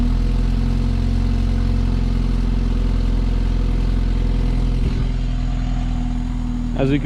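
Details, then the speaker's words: 2016 BMW 328i F30 after replacing the broken or missing active sound exhaust actuator clip: steady low idle rumble with a short blip, no tinny rattle; normal exhaust, no rattle. "the exhaust sound is far less rattly i don't hear any coins or nothing at all in the exhaust so pretty sure i go i went ahead and fixed that issue before it got any worse"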